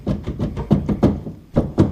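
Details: Polaris RZR XP 1000 rear sway (stabilizer) bar with RacerTech braces and lateral play; shims and new bushings didn't help: dull, uneven clunks several times a second as the bar is worked back and forth.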